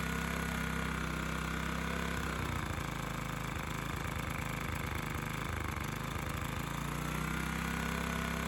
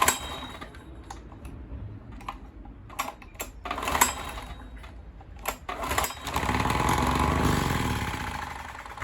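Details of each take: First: Honda EX1000 1kW petrol suitcase generator, side covers removed, running after simply adding fuel despite being reported not working; steady small-engine drone with slight hunting under a 350 W motor load, no knocks or misses; normal running. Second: Dirty Honda EX1000 1 kW petrol suitcase generator, side covers off, after cleaning: sharp recoil pulls and clatter, then engine catches on choke and runs a few seconds before fading; starts only on choke, may need more fuel.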